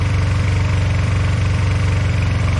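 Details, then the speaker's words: Honda CB125 twin with new cylinder barrel, reground valves and reworked carburettors, chokes off: low lumpy idle with uneven firing beat; one side runs hot, owner suspects carbs unbalanced or one lean and one rich. "They're not balanced, or one's running lean and the other one's running rich."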